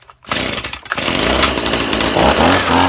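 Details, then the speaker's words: Stihl two-stroke leaf blower, choked and primed, running with the spark arrestor removed after a clogged arrestor had smothered it: catches after a brief silence and holds a steady, even buzz with no stumbling. Normal running. "But you'll hear this run in a minute. I'm not going to put that spark arrestor back in."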